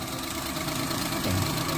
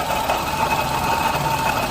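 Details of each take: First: Suzuki Alto 800 after water pump replacement (sealant instead of gasket, timing belt refitted); steady even idle hum, the earlier whine gone, only a slight swell near the end. Normal idle, now watching for leaks. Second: Suzuki Alto 800 at idle, stethoscope check of front accessories: steady thin whirring whine over the engine from the water pump. Worn water pump bearing; pump replaced with genuine Suzuki part.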